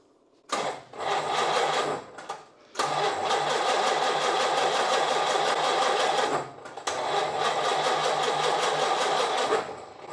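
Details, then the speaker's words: Rolls-Royce Phantom III pre-war V12 (1936 model line, imported from Japan) after carburettor rework, now flooded; labored uneven cranking about four beats a second that never catches, fuel dripping, timing sounds too far advanced. Hard start, cause not confirmed. "Dripping a bit of fuel down there. Yeah, yeah. I don't know if it's going to start."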